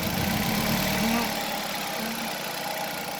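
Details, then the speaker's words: 2005 Nissan Altima at idle with an uneven, lumpy beat, a dropped pulse every few firings and a wavering note; unplugging one cylinder brings no change, so that cylinder is misfiring. "This is a simple way to check for a misfire. This one misfire."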